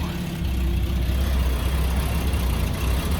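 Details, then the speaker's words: Ford XG ex-police divisional van after fitting an AU Ford catalytic converter and reinstalling the oxygen sensor: low, smooth, much quieter idle with a light rev, no blowing exhaust; major improvement, though a slight smoky leak remains. "Nice and quiet. Let's give it a bit of a rev. Much more quieter."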